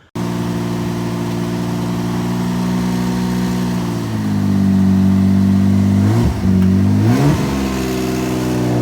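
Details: VR4 on its first drive: the idle won't settle when the clutch is in or in neutral, revs swinging up and down on their own and then hanging high, though it drives fine in gear. Idle hunting, cause unclear.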